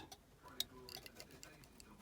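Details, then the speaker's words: Austin Allegro 1300 SDL, hazard switch with its sliding contact reassembled, cover lifted, hazards on: light, crisp clicking repeats steadily in a quiet cabin. Flasher relay ticking normally, hazards working after the fix. "we've got hazard warning lights on and all for work"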